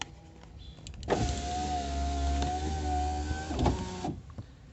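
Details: VW Voyage driver front door power window after cardboard shim fitted at the glass rail to stop it banging when lowered; smooth steady motor hum as glass goes down, soft stop with no bang against door metal; normal operation.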